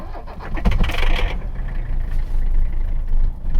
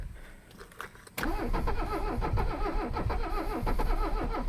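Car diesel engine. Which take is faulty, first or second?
second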